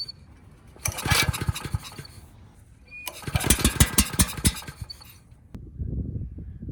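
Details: Ridgid 5700 generator, Yamaha MZ300 engine after valve work, pull-started with a little fuel: two bursts of uneven chuffing that catch briefly then die; fails to run.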